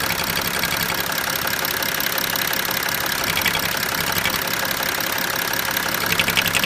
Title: BMW 335d engine noise when removing oil cap.